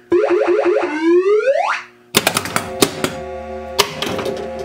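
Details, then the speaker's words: 1980 Williams Scorpion pinball after the faulty sound board was replaced with a new one and the speaker wiring was swapped over: clean rising sweeps, crisp chimes and tones, with no hum, buzz or distortion. Normal sound output. "oh yeah i think i'm gonna like this much better"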